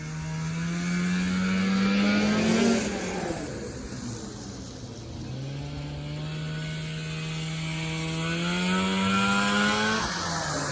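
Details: 1994 Polaris Indy 440 two-stroke snowmobile, air screw at spec 3/4 turn, airbox removed, rebuilt fuel pump: crisp two-stroke climbs smoothly, backs off, pulls cleanly onto the pipe with no stumble; healthy normal acceleration.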